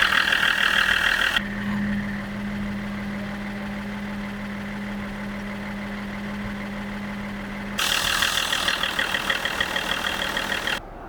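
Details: BMW X5 E53 3.0 common-rail diesel (M57) just after a RaceChip Pro2 module was plugged into the fuel rail pressure sensor: smooth, steady idle with a constant low hum and no irregular knocks or hunting; engine runs healthy and the check passed.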